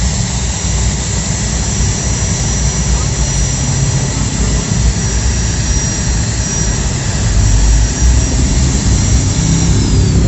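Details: Maktec MT90/MT91A angle grinder, seized completely before the bearing repair, retested after reassembly. Steady, even motor whine with a constant high tone and no rubbing, grinding or rattle; it now runs normally.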